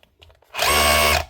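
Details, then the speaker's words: Dewalt DCH273 SDS hammer drill that wasn't running right, after cleaning out and adding fresh grease to the gearbox; short steady motor whir at constant pitch, no grinding or rattle, running smooth and healthy. "Quick clean, top up the grease, and that gets it running."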